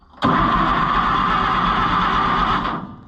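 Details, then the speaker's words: Farmers Union No. 2 Co-op tractor, low on fuel and just refilled: engine catches suddenly, runs rough and uneven about two and a half seconds, then dies; hard starting, owner suspects flooding and notes a leaking fuel filter. "I bet it is. Dang it. I think our fuel filter's leaking, actually."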